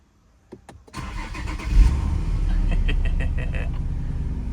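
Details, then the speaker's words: Nissan VQ35HR V6 starting after an oil galley gasket leak fix, with new water pump, timing chain guides and tensioner, coolant topped up. It cranks briefly, catches quickly and settles into a smooth, even idle with no ticking or knocking; the engine is working smoothly. "Wonderful. Wonderful. As you guys are hanging over here over there. Engine is working smoothly."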